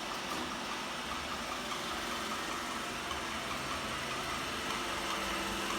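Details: A new Roomba i7+ (the owner's second unit) runs with an even vacuum whir and a loose clicking of about two per second riding on top, something ticking inside; the owner suspects it is faulty.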